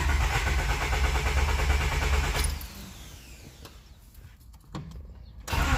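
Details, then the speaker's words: JDM Honda D15B VTEC turbo after Acura RDX injector and OBD1 ECU basemap install: starter spins engine in steady rhythmic churn for seconds but never fires; crank no start, worn spark plugs suspected, unconfirmed. "yeah see it definitely doesn't want to start"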